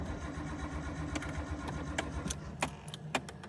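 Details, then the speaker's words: Nissan R33 GTS with newly installed Link G4X plugin ECU and 7-bar MAP sensor, first start attempt on loaded map: uneven, dragging cranking with sharp clicks, never catches; mixture too rich flooded it, plugs likely wet with fuel. "The problem was that the FR was too rich. So the car was getting uh Yeah, the engine was clogged."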